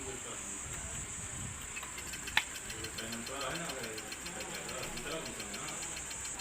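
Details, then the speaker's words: Ceiling fan that spins freely by hand, its three bolts already tightened, run on mains supply: faint steady knocks (khat-khat) along with the motor hum. The noise persists and the source is not yet found. "तो दोस्तों देख रहे हैं main supply देने के बाद में भी अभी भी इसमें आवाज आ रहा है"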